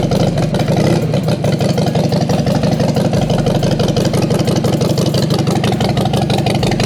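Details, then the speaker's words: Harley-Davidson Sportster 48 after new battery, relays, fuel pump, fuel line, injectors and treated rusty tank: loud, steady V-twin thump about three beats a second, no knocks or misfires; normal running. "oh I like that sound I like that sound all right"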